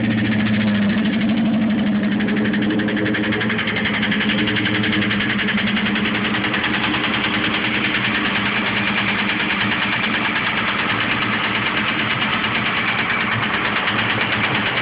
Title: Piston slap